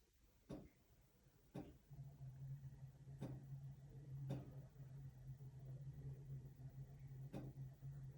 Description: Sometimes the flashing lights make a clicking noise.